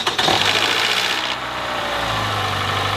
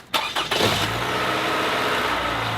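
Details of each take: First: Engine with strange start-up problems, also shows oil pressure light in fast cornering despite full oil level: brief metallic rattle as the starter engages and engine catches on start, then steady idle; VVT actuator start-up rattle. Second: Engine just restarted after an oil change, warming up: smooth, even idle with only faint light top-end ticking; quieter than before, valves clacking less.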